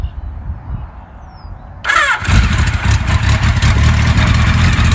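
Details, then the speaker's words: 1976 Kawasaki KZ900 restored, 28 miles on it, early spring in Ohio with snow on the ground: silence, then it starts at once and revs strongly and evenly with no misses or knocks; healthy start. "Starts right up. That sounds good."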